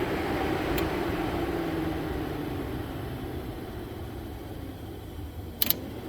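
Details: 1998 Jeep Grand Cherokee 5.9, low-speed radiator fan forced on by shorting the harness pins with a paper clip: a soft, steady whir with two sharp relay clicks. The low-speed fan switches on and runs normally.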